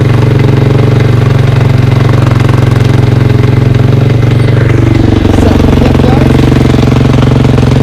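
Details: 2003 KTM 450 after sitting six months, carb drained and fresh gas: loud choppy single-cylinder thump holding steady, pitch rising slightly as it warms; runs cleanly.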